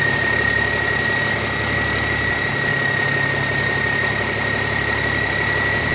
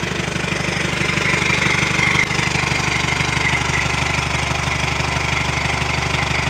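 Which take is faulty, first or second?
second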